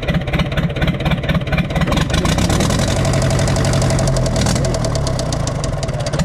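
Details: Universal 550 tractor diesel idling with a deep steady knock about twice a second that stays unchanged when injector pipes are loosened; piston or compression suspected at first, found to be a worn rod bearing.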